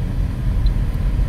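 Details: Toyota Altis road test after repair of steering clunk/knock (rack and pinion already new, tie rods not replaced; a loose screw suspected): only even road rumble over rough pavement, no clunks through the wheel — steering now quiet.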